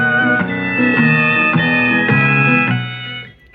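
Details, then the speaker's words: Zenith seven-tube radio after replacing the output tube with a 6V6 and fitting a solid-state rectifier: guitar music plays clearly with no crackle, buzz or distortion; audio now clean, earlier nasty sounds gone. "so as a result we have much better audio Fidelity and we don't have the nasty sounds going on in this in the audio"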